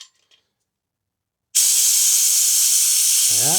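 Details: Classic Honda CB750 motorcycle, brake fluid change: new vacuum bleeder on the brake caliper bleed valve gives a steady loud air hiss with gurgling toward the end as old fluid is drawn out; bleeder working normally.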